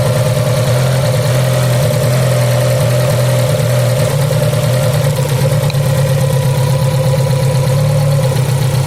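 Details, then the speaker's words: Fiat Punto, idle shaking after shaking at highway speed: uneven stumbling idle dropping a pulse; unplugging leads cylinder by cylinder, pulling the 4th cylinder's ignition lead leaves shaking unchanged, pointing to a faulty 4th-cylinder high-tension lead. "The frequency of the same shaking has not changed, it may be a problem with this cylinder, try again and pull it out again,"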